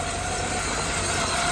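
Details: 2000 Toyota Camry, first start after stuck harmonic balancer bolt work, spark plugs reconnected and alternator refitted: a steady, even hum with no knocks or surges as it settles into a normal idle.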